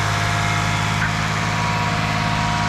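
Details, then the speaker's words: Engine first start after timing belt replacement with timing marks double-checked, some smoke from old oil burning off: smooth, even idle with steady low hum and no knocks or misses; normal idle. "It didn't blow up right away, so that's good. Yeah, we're gonna have a little bit of smoke as I try to clean off as much of the old oil as possible. But it sounds good. Very good."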